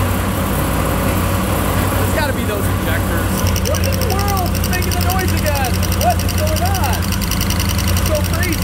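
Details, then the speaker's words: LS-powered Chevrolet Caprice PPV police car at idle: a fast, sharp ticking that keeps pace with the engine cuts in about 30 seconds after start-up and later goes away; cylinder three was running cold (dead cylinder) and the cause was a loose spark plug. "so the noise takes about 30 seconds after you started to present itself and then it does eventually go away"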